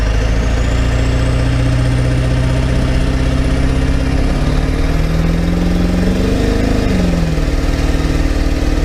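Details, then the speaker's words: Ford F550 Powerstroke diesel, sat three or four years, idling after no-start fix: deep idle with uneven stumbling beat and dropped pulses; scan tool reports a misfire, seeming to lessen the more it's driven. "i don't know guys the more i beat on this thing the less it seems to miss"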